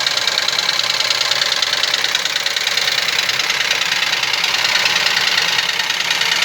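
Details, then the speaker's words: Idling Ford Ka three-cylinder with the oil light on shows fast, even metallic ticking at about three per second. Oil starvation: the timing belt sheds material that clogs the oil pump pickup. "Esse carro apresenta uma avaria de luz de óleo acesa no painel e barulho no motor."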